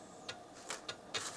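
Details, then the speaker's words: Laser XT Turbo clone PC booting DOS 3.3 after the floppy cable was reseated: short crisp clicks in an uneven burst of four over about 1.5 seconds, with no grinding. Normal floppy drive seek. "sure sounds like it's working look at that i love it these things are survivors hard drive works floppy drive works"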